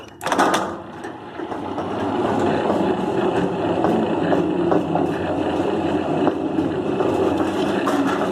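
Steady, even motor drone with a light mechanical rattle and no jerking or straining; the gate opener motor sounds healthy.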